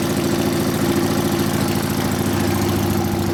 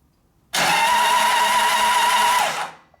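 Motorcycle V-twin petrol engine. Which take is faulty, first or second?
first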